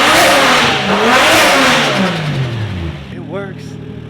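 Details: Car engine revs up crisply, falls back smoothly and settles to a steady idle with no misfire, after correcting a backwards-installed MAF sensor; healthy revving.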